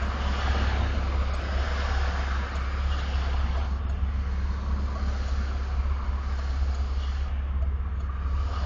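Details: Camaro with a 347 V8, recorded with T-tops off and windows down. Deep, loping V8 idle with an uneven, unsteady pulse under outdoor noise; a subtle rough idle, felt more inside the car. Cause unknown.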